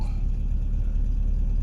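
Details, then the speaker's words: BMW M10B18 with an untested auxiliary air valve: cold engine holds a steady, even fast idle rising from 1000 to 1100 rpm with no misses; bimetal working properly, normal cold fast idle. "Untuk awal ini sudah memenuhi syarat. Bimetal bekerja dengan baik. Bahkan berapa ini? 1100. RPM di 1100."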